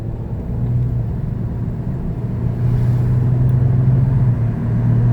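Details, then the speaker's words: Front left wheel bearing on a quarter-million-mile Ford Escape, recorded while driving: loud howling hum that starts around 25 mph, grows louder and changes pitch with speed, inaudible at 20 mph; worn wheel bearing. "she's a loud howling humming it's coming from the front left and it changes pitch as the speed changes that right there is how you find out if you got a wet bad wheel bearing"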